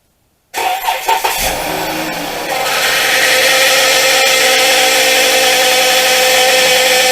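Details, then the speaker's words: 2013 Chrysler 200, 62TE 6-speed automatic, 70-something thousand miles, fluid level fine, P0944: engine starts and settles into steady idle whine like a bad power steering pump, from failing transmission oil pump tied to torque converter. "you'll hear a whining noise, and what it sounds like if you have been around a car with a bad power steering pump. That's kind of what it sounds like."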